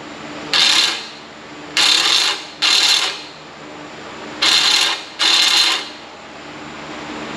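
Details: 1995 Ford F-150 original blower motor bench-tested on a battery with jumper leads; five short bursts of rough, high whirring with a thin squeal each time power is applied; worn blower motor, replaced with new one.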